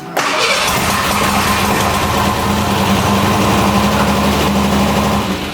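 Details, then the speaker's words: Square-body Ford Ranger engine reassembled with new heads (fitted to fix a coolant-in-oil issue), an early start attempt: it catches and runs loud and ragged with an uneven beat that never settles. Rough running, blamed on distributor timing. "Well, that would be the issue. It's the distributor again. Always the distributor."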